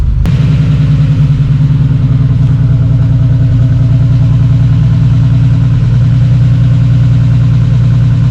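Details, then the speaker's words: Holden VL Turbo Commodore right after a timing belt install, cold: fires first try and settles into a steady, even idle with a firm regular beat, no knocks or ticks, strong oil pressure; running cleanly. "it's definitely pretty cold but um fired up first guy got monster oil pressure happy"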